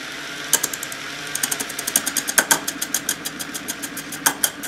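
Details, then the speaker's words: Rotary spark gap disc spun slowly on its own motor via a variac as a lathe: sharp regular ticks about five per second as the scraping chisel catches only the high spots of the wobbling disc; disc is out of true. "Now you can hear it missing parts on there. So now all you do is take your chisel in and scrape it away."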